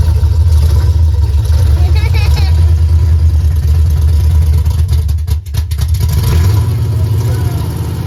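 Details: Henry J drag car parked since 1977, first start after a battery charge: loud, deep, slightly lumpy but steady open-pipe rumble; fired easily and runs fine after long storage.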